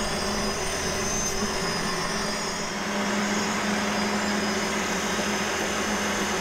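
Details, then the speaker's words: 1960s vertical milling machine, previously stuck solid, after freeing: steady even motor hum, constant mid tone, slight clunk noted; normal running. "sweet yeah that thing runs"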